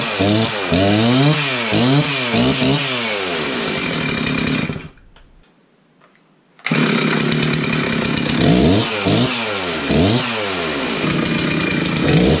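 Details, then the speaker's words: Chainsaw after installing a new carburetor and fuel line: revs up and drops back cleanly several times, crisp rise and fall without stumbling or bogging; sounds pretty good, running healthy. "all right that sounds pretty good let's take it outside and give it a try"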